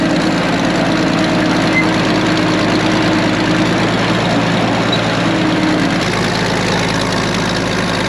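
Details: Late-1940s/early-1950s Caterpillar D6 cable dozer, a barn find that sat for years and was just revived: the main diesel idles with a steady, even low clatter, no misfires or knocks. Normal idle.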